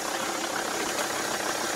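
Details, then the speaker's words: Car that has refused to start every day, now running after a start attempt: quiet, steady tick-over with light mechanical chatter and no obvious misfire; cause of the intermittent no-start unknown. "I have actually tried starting this car every day, and it won't start."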